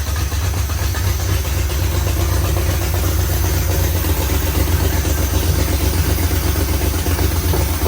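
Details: 1973 Plymouth Road Runner, original 318 V8 with new Aces Killshot EFI, first start before self-learn, open headers no mufflers: deep loud steady burble about four pulses a second, even; running cleanly.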